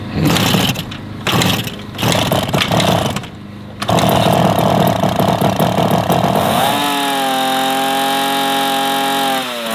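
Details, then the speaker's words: 1966 Yamaha YL1 Twinjet, 100 cc two-stroke junkyard bike, first runs after revival, leaking lots of fuel and smoking heavily. Harsh, rough, choppy buzz, then a snarling rising chainsaw-like rev; raspy uneven running, exhaust possibly restricted. "Craig, ¿tratas de ahumar a los vecinos? ¡Oh, estás tirando todo!"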